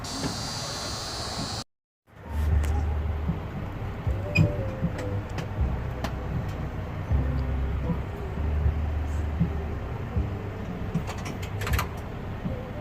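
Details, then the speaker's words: International diesel truck after compound turbo change and exhaust pipe fix: deep, steady rumble settling into an even idle with no misses, puffs or hissing leaks; running smooth with no leaks. "there you go she's running it's running smooth everything's put back together you can see no leaks"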